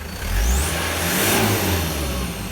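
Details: Toyota Land Cruiser Prado 1KZ-TE 3.0L diesel, about 400,000 km, 17 years old, after new genuine injectors and glow plug replacement: clatter swells smoothly on throttle blips and settles cleanly, no misses or knocks; healthy.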